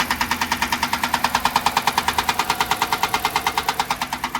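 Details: Jeep Grand Cherokee, first thought lifter-related: loud, sharp, regular knock about three a second over an idling V8. Rod knock, engine about to throw a rod.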